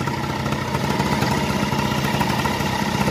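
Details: Suzuki Address V100 scooter after fixing a no-start on push button (battery, starter and relay checked; drive gears had been reassembled reversed, soft modified spring, 28 carburetor): single-cylinder holds a steady, even idle with light mid-pitched putter, no misses or knocks.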